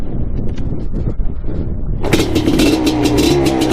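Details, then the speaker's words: 1988 Suzuki LT500 Quadzilla two-stroke after carb cleaning, choked, started on first big kick: kick-over thumps then crisp raspy steady idle; normal start and idle, now easier starting. "baby first Keck what I like about that yeah baby she sounds mean let this warm up for a bit"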